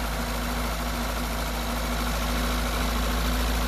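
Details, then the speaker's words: Peugeot 205 TU petrol engine started on choke after timing belt work and a coolant refill not yet bled. It catches on the first try and settles into a steady, even, smooth idle with no knocks or misses. "Donc, je vais la démarrer. Je croise les doigts. Hop. On met le starter. Voilà. Bon. Nickel. Je démarre au quart."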